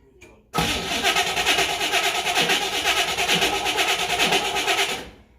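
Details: 1967 Chevrolet Camaro RS SS barn find with 15,000 original miles, first start after sitting 40 years, fuel pump off and running on the fuel in the carburetor bowl: it catches after a brief crank into a loud, lumpy V8 burble, then shuts off. Normal start.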